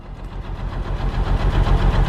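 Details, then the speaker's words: Porsche 986 Boxster S six-speed manual, first start after sitting 10 years: smoky, uneven, lumpy pulsing that stumbles as revs build. It runs rough with a misfire, and a flashing check engine light soon follows. "oh oh oh crap little Smokey that doesn't sound too good but it's running"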